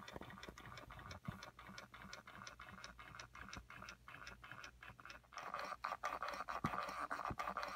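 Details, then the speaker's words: Ford HVAC blend door actuator, microphone inside the dash by the HVAC box: faint rapid clicking and scratching, stopping and starting as the actuator hunts back and forth on the hot side of a worn track; erratic temperature control. "And you can see it hunting back and forth in there. until it finds position."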